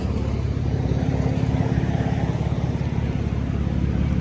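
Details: 2009 Mercedes-Benz C300 (W204) sport, 6-speed manual, at steady idle: a fast, low puffing tick about twice a second riding under the exhaust note; exhaust leak, owner suspects cracked exhaust piping that needs welding or replacing.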